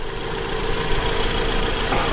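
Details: Acura TSX four-cylinder after replacing the faulty cylinder 3 ignition coil (P0303 misfire): even, steady idle with no stumble or missing beat, tool clatter nearby; running smoothly on all cylinders, normal idle.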